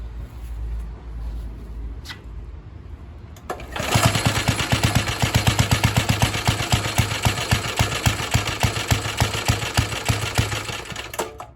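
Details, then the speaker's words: Atco Suffolk lawnmower just started after a part was clamped back and disengaged: engine catches and settles into a lumpy beat of about four pulses a second, running rich on choke before the choke is taken off. "It sounds like the other one broken. Take the choke off."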